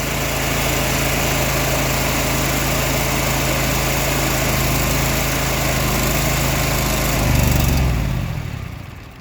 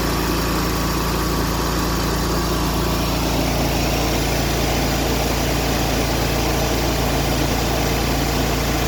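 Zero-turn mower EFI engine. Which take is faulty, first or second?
first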